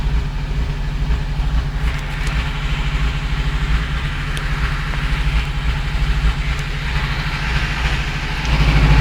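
Steady low idle with a regular knock running through it, about three a second, getting heavier when revs rise; source not pinned down.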